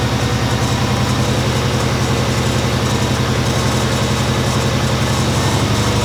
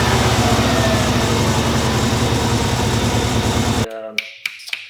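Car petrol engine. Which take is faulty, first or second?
second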